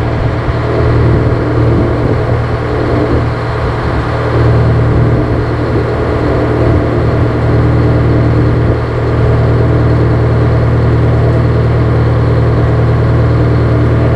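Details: GM 4-71 two-stroke supercharged diesel, about 160 HP, probably 50–60 years old, Frick sawmill engine, warming up unloaded before a secondary fuel filter change: steady, even low rumble with a firm regular beat, no knocks or misses; normal idle.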